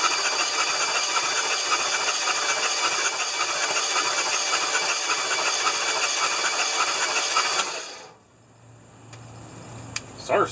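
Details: 1975 Lincoln Continental 460 V8, cranked on starter with plugs out, oil poured in, battery charger clipped on for a weak battery: fast, even whirring crank for about eight seconds, spinning freely; normal starter cranking.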